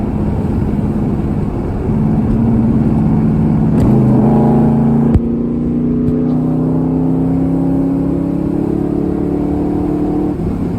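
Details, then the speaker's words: 1981 Holden WB one-tonner with small D3 engine, driven after brake booster replacement: engine note climbs smoothly and evenly under open throttle, no knocks or rattles; healthy engine under acceleration. "she's only a little d3 but it does sound good when you open it up"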